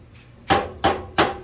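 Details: Subaru exhaust heat shield struck by hand with the engine off: three sharp metallic whacks with tinny ring from the loose shield that causes the rattle. The fix is a band/hose clamp around the shield, tightened with a flat-head screwdriver.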